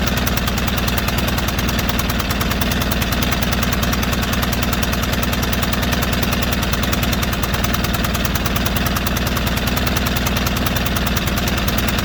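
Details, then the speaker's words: White LT542G riding mower that was running rough and getting gas in the oil: loud, ragged, knocky chugging with no clean rhythm. Erratic running is traced to a missing carburetor main jet. "you can just kind of tell how how erratic that motor was I bet you're gonna find the same thing"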